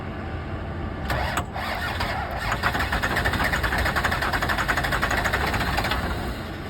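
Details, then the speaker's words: 1991 Toyota Celica GTS: starter cranks evenly about four pulses a second but never fires; crank, no start, cause unknown. "here we're heated stop working and now it won't start again"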